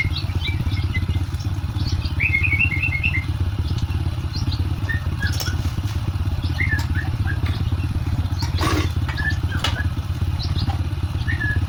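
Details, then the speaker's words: Honda Supra X 125 motorcycle after repair (scored connecting rod and bearing replaced, cam chain tensioner not contacting chain fixed, oil added); smooth even single-cylinder idle putter, no knocking, smooth versus rough on arrival; normal idle. "Nah, ini setelah kita perbaikin ya dan mesinnya sudah halus berbeda dengan pas baru datang. Oke, bisa didengarkan suaranya sudah halus ya."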